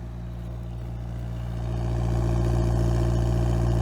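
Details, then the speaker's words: 1988 Toyota Corolla four-cylinder after partially rebuilt carburetor installed: smooth even idle that climbs and holds noticeably fast, running on all cylinders; high idle needing adjustment. "It's idling a little high and it's gonna need some adjustment, but I think we have just about done it."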